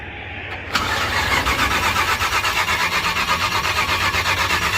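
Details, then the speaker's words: Old Ford Club Wagon, jump-started at night after adding gas and charging battery, throttle held wide open while cranking; fires abruptly and settles into a fast, slightly uneven run with a busy upper rasp, hard start, cause unknown. "Oh, not that much, not that much. All right. Got her started up."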